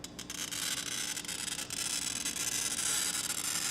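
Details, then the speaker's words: New glass cutter pressed as hard as an old one: a harsh, gritty hiss with crackly pops as the wheel drags across the glass; the cut is too hot, chipping the score, which heals back over. "But if I pressed as hard with the new glass cutter as I did with the old glass cutter, what I'd get is too hot of a cut, and I'm going to show you what that looks like."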